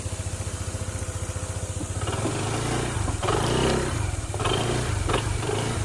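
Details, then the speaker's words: Honda ADV 160 scooter after hard-start repair: previous shop couldn't fix it despite heavy cost; idle was hunting, then reprogrammed. Now starts on one click; steady quick putter at idle, a few light throttle blips, no stumbles; normal running before test drive. "Start. Ayan, one click na lang siya. Ah, te-test drive na lang. Okay."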